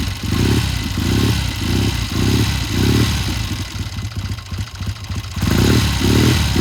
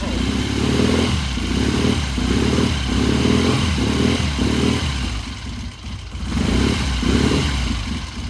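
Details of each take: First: 1972 Triumph TR6 motorcycle with a warm-up problem: starts and runs well but surges and breaks into ragged pops and spits every time it gets into mid-range; tuner considers raising the carburetor needle one notch. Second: 1972 Triumph TR6 motorcycle after carburettor pilot jet check/change, cold start: even, regular twin idle with a couple of throttle blips, firing clean; starts and idles much better than the day before, when it was slow to warm up.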